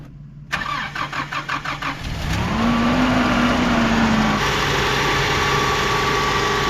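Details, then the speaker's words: Mazda B2600i 4-cylinder 4x4 pickup, 240,000 miles, after tune-up with plugs, cap, rotor, oil change and new factory muffler and tailpipe: about 1.5 seconds of even cranking, catches, flares briefly and settles into a smooth steady idle; healthy start. "this thing's going to run great all the way home she sounds good"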